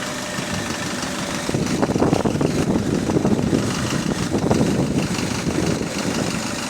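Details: HV48 diesel bus on route 335: loud, uneven rod knock at about three per second rising over the rumble after a couple of seconds; cause unconfirmed.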